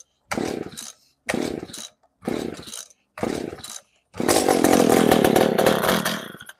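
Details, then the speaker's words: McCulloch PM610 chainsaw, dead for years, after carburetor cleaning with fuel lines drained: four pull-cord bursts about a second apart, then it catches and revs. Hard starting while dry lines refill; needed heavy choking, about a dozen pulls. "So, anytime I take the carburetor apart, get the fuel out of the line, sometimes I got to choke them like crazy. Um, that one I think I pulled like a dozen times, but we got it going."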